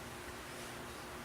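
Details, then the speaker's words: HP Pavilion g7-1350dx laptop after opening and cleaning dust from the overheating cooling fan: soft, even airflow hiss with no whirring, buzzing or ticking; fan no longer working hard as before, much better airflow, normal running. "The fan is not working as hard as it was before. Before I could hear that fan just, it was working really hard."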